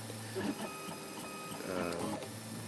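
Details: Printer printing overhang parts, with PLA bearings on new rods. The Y-axis motor current is turned up to plow through nozzle crashes, giving buzzy stepper tones that jump in pitch with each move, loud and harsh for a printer.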